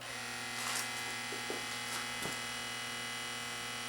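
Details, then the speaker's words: Rotel RCC-940AX 5-disc CD changer that won't play, on the bench: a steady buzzing whir with light clicks and no disc action as the motor runs on; a broken or slipping belt is suspected, not confirmed. "that doesn't sound good let's crack it open and see what's going on under the hood"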